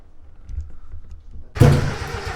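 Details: Mazda Miata 1.8 crank no start; it has fuel and spark, and the owner suspects timing is off or the injectors are clogged. A faint crank, then a loud cough and sputter that never settles into a run; oil and fuel were seen spraying afterward.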